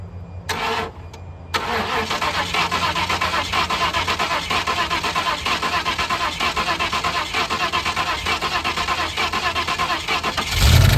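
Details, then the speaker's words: 1988 Ford Mustang GT 5.0 V8 with Duraspark distributor, cranks and catches then rough idle with rapid uneven knock about three per second; owner thinks it comes from under one valve cover, source undetermined. "Okay, so in my expert opinion, and I'm just going by just the valve cover, it sounds like it's coming from right here."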